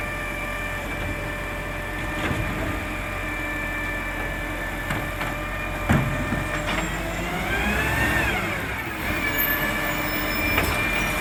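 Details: Marion garbage truck SL01300 diesel after exhaust leak repair: steady drone with faint regular beat, hydraulic and air-brake hiss, no exhaust ticking or puffing; normal running.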